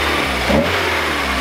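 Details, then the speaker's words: VW Golf Mk3 after a distributor swap, found slightly off and corrected: idles steadily, then two quick clean blips and settles with no misfire or stumble, sounds good now; normal revving. "so this was just barely barely off of the ginn my man I messed it up so this tiny bit off it sounds good now"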